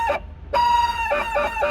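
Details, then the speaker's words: 1977 Porsche 911S Targa barn find, which had sat about 7 years: short rooster-like squawks repeating on and off at a steady mid-high pitch over a quiet idle; believed to be the fan trying to engage. "That's the sound. You weren't with us yet. What is that? It's the fan. That's the fan."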